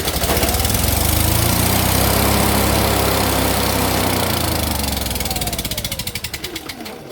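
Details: Yamaha EF6300iSE generator, bought second-hand not running, with stator/powerhead issues. Fuel stop reconnected, other connectors still disconnected, electronic choke. Engine catches and runs steady with an even firing beat, then winds down smoothly when shut off; normal running.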